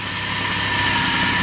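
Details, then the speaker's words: Restored Suzuki, freshly rebuilt engine with new pistons, rings, cylinders, redone head and adjusted valves, just started and warming up: smooth even idle, steady hiss, no knocks or ticks, running cleanly. "And you can hear it. It's just really smooth as can be. That's because it has brand new pistons and rings."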